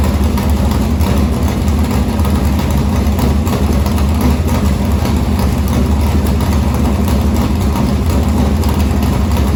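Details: Morgan Machine-built open V8 (about 358 cu in) race engine in a Harris car, EQ heads, likely Edelbrock Victor Jr two-barrel intake, started after sitting a week and a half to refill an unhooked fuel line: deep, even lumpy idle with steady beat, no ticking or miss; normal idle.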